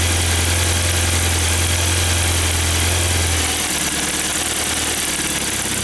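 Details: 1994 Saab 9000 non-turbo 5-speed, injectors rebuilt, vacuum leak plugged, new battery: idle holds a low drone then drops and wavers in slow swells, hunting; data stream looks good, owner suspects throttle position sensor, cause unconfirmed.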